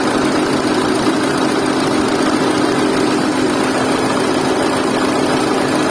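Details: Renault Duster idling with loud, dense mechanical clatter and a steady droning tone, constant and rough; heavy engine noise, cause not yet pinned down.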